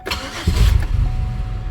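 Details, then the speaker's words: Buick 3.8 V6 hot start after cleaning a very dirty throttle body that made it die unless given gas: short crank, fires straight away and holds idle without throttle; still slightly rough, plugs, wires and fresh gas suspected. "And it doesn't. It stays running. I didn't have to put my foot on the gas and give it some gas to keep it running."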